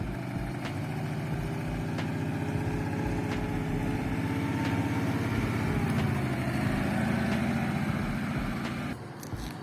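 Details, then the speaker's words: ZAZ 968M Zaporozhets after Lada 2109 disc brake conversion, on a drive: sharp knock about every 1.3 seconds over low engine rumble, the drive shaft striking the suspension arm because it sits too deep; a spacer was ordered. "Hear that knocking? Yeah, hot to miss. Turns out the drive shafts hitting the suspension arm."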